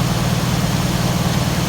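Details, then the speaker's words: 1981 Ford F-250 bullnose auction truck that had sat unused, weak battery suspected, idling on the trailer; deep, steady V8 rumble with no knocks, misses or ticking, owner says it sounds incredibly good. "We're gonna leave them off because I'm sure the battery's not in great shape from sitting there, but that sounds incredibly good."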